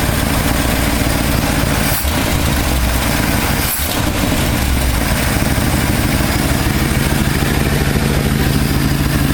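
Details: 1968 Ford F250 camper special V8, non-running for years, now idling after condenser fix, air/fuel mixture screws at two and a half turns, not fully warmed up: steady, even idle with no misses or stumbles; normal idle.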